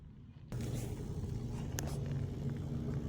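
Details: Refrigerator compressor being tested on a 3-in-1 hard start device after a compressor issue: it starts suddenly into a steady low hum with an even tone and doesn't click off. It is running normally, not frozen.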